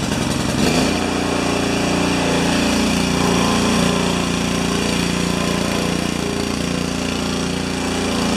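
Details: New Honda engine for a pressure washer, clamped to a chair, with fuel pump, choked: fires on the pull and holds a steady, even high-speed buzz without stumbling or rattles; normal running.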